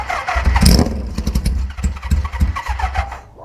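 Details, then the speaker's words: Old cafe racer motorcycle after rewiring, with water coming out of the exhaust. Uneven cranking chuffs for about three seconds that never catch; owner suspects water in the cylinders and poor compression. Cranks but won't start. "well maybe the compression we do have is because of the water and the cylinders is terrible anymore"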